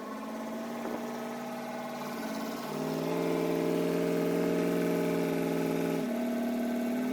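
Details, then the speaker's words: 1957 Ford Thunderbird with the battery freshly charged so it cranks well; the engine catches and idles but steps up then drops in pitch as it hunts, a rough start with cause unknown. "It started up, but it didn't start up very well. Luckily I'd had the battery on charge, so it was able to crank it pretty well."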